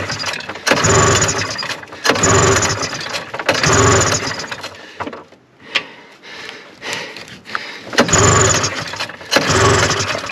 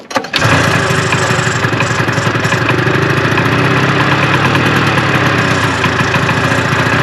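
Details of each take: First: 1974 Arctic Cat Lynx 340 fan-cooled two-stroke snowmobile, sat outdoors 5 years, cold and snowy, very old fuel: repeated pull-start bursts about every 1.5 seconds, coughing but never catching; it tries to draw fuel, so a cranking no-start. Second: 1974 Arctic Cat Lynx snowmobile, fan-cooled 340 two-stroke, sat 5 years outdoors in cold snow on old fuel, pull-started with starting fluid. A cough and catch, then a steady, slightly lumpy idle that keeps running on its own.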